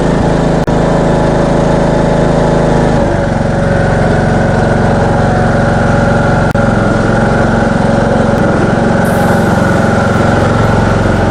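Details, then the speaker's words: Craftsman ride-on mower, 21 hp Briggs & Stratton engine, after repair (blown head gasket, carbon cleaned off piston and head, fouled spark plug replaced, upper cylinder cleaner used; was smoking heavily): steady, even note, no misses or surging, running cleanly. "Hopefully that should help solve the carbon issue. It seems to run a lot better now."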